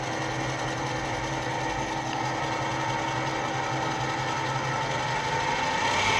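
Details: Gear cutting on a lathe, using a tap to cut teeth into a small brass or bronze piece, with a screw driving the wheel as a worm reducer. Steady whirring cut with light regular chatter, no squeal or grinding; normal, clean cut.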